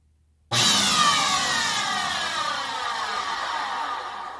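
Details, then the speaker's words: Fantom Fury 10 Amp vacuum cleaner, run half disassembled before motor replacement; bursts on with a loud, harsh high whine that slowly sags in pitch, rough and gnarly, extra loud because the unit is partly open: worn vacuum motor. "there it's extra loud because it's already half apart so yeah that's why i'm changing it you saw how bad that sounds i don't need to run that any longer it's really uh really gnarly"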